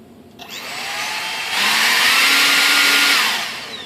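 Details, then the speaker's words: Durafly DH 100 Vampire MK 6 EDF fan after trimming blade flash: thin whine climbs as fan spools up, holds high with rough buzzy edge, winds down; still a lot of vibration, fan still out of balance before spinner marking. "still a lot of vibration"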